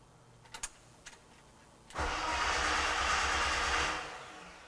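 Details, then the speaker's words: 1989 BMW E30 325i, M20 Motronic, no-start diagnosis: a thin electric buzz rises over the cranking churn for about two seconds. The fuel pump runs normally while cranking, showing the crank position sensor works. "now let's hook it back up and we're going to attempt to see if we can hear it so when you crank you should hear it Buzz"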